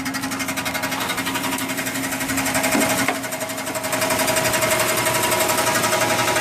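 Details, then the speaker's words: 1996 Chevy Impala SS LT1 V8: loud, steady rapid mechanical rattle that seems to come from underneath, now constant after highway acceleration; previously rattled only on acceleration and stopped when coasting. Cause unknown. "Don't know what this sound is, but every time I get on the gas, start hearing this rattling noise. Tonight I got on it a little bit more, open it up a little bit. Now all of a sudden I'm getting this loud noise, and now it's not going away."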